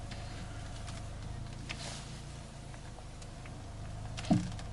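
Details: 2006 Mini Cooper, about 100,000 miles: over a steady idle, one sharp clunk and creaks sound as the steering wheel is turned; the cause was a damaged strut top mount and bearing, since replaced.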